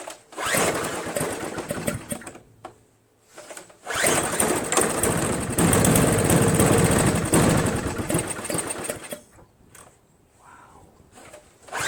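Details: Craftsman 522 4-cycle single-stage snowblower left outside, water in gas tank, line and carburetor, loose ignition switch: catches, sputters unevenly and dies, restarts and stumbles with stalling gaps; rough running from water-contaminated fuel.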